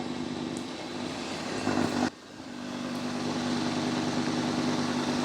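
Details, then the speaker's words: Dreame X60 Max Ultra robot vacuum cleaning with suction turned down: a steady low whirring hum under the running noise. The owner is fairly sure it comes from the new vacuum brush roller. "I'm pretty sure that's the that's the new brush roller. The vacuum brush roller making"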